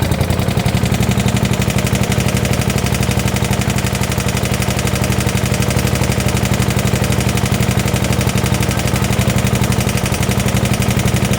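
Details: 1972 Gravely 816 with Kohler Command 18, running after carb modification: heavy regular metallic knock about four per second at idle, deep in the block, pointing to a worn rod bearing. Motor judged pretty much blown up, likely why parked.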